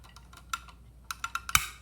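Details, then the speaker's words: Electron Robot toy mechanism turned slowly by hand, no motor, during torso rotation; irregular light ticks, then crisp louder click as contact touches copper, turning on LED machine gun light; switch contact click, normal operation. "That's the first click there of this piece here touching the copper back there and forming a connection. And that's actually turning on the LED machine gun light."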